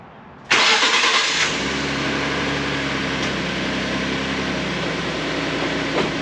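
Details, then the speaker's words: 2012 Ford F150 after vacuum pump replacement (pump behind driver's side wheel well): engine cranks, catches quickly and settles to a smooth even idle with no growl or rattle; fixed. "I don't hear anything. Hear it? That's about all you should hear when that's running. So, all fixed."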